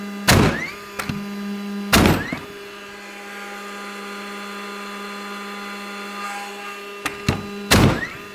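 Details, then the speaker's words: DeWalt battery framing nailer driving nails into 1-inch oak or 2-inch alder hardwood offcuts: four sharp thunks, each followed by a short rising whir as the flywheel motor spins back up, then steady hum; working normally. "You can hear the motor spooling up after it hits."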